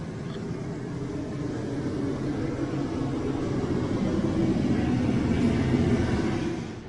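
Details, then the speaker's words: Newly replaced RV rooftop AC unit running after install: steady even roar of fan and compressor, no rattles or squeals; tested blowing 55–56 degrees, nice and cold, normal operation. "We just tested it. It's blowing at 55, 56 degrees, so nice and cold."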